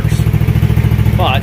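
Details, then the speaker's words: 2011 150cc GY6 scooter trike, about 12 hp, restrictor removed, cold start, open exhaust, fresh valve job and new carburetor: quick, even putter with no misses or clatter; normal idle. "i've got this thing tuned in so well it's crazy open exhaust let her breathe a little bit"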